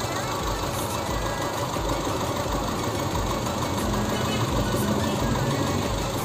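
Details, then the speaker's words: Honda Civic VTi-S petrol engine, long left unused, idling unevenly with severe shaking and an irregular low thump: a misfire traced to a rat-chewed injector wire (idle-up wire also chewed); engine also lacked power and sometimes stalled. "Nah, jadi seperti itu. Terlihat ya, bergetar parah. Parah kan? Parah."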